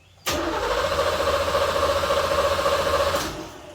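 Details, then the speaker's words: 1986 Corvette C4 Pace Car Edition, stored 14 years, cranked after a small amount of cleaner was sprayed into the throttle body; it catches suddenly, runs rough and pulsing for about three seconds, then dies. Spark is present. "All right, so we know we've got spark. We know we've got fire and juice."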